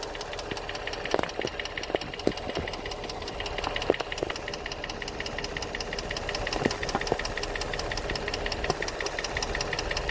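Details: Infiniti G35 V6, 109k miles, no check engine light, new cats, regular oil changes: irregular sharp ticks and knocks, louder on one bank; owner unsure whether lifters or spark plugs, source not found.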